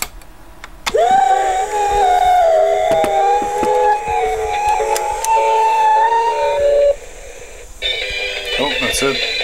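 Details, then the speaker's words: 1960s AIWA TP-40R 3.5-inch rim-drive, transistor DC-bias portable reel-to-reel playing back a music test recording. Pitch sags and wobbles irregularly; wow and flutter from the low-quality rim drive. "anyway you can hear this speed irregularities and you know come in every now and then you know and all the little Wayne's a rim drive low quality for transistor DC bias rim drive recorder"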